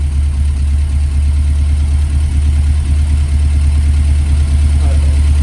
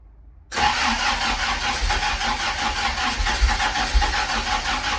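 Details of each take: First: Ford experimental prototype Corsair GT with a fuel-injected Essex V4 and Capri 5-speed, tick-over being adjusted with the air filter off: a deep, even idle with a steady low pulse and no stumbles, healthy. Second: Ford prototype Corsair GT, fuel-injected Essex V4, first start in 1.5 years on a freezing cold day: it catches and settles into a rough, uneven idle with occasional stumbles, a slight cold-start misfire.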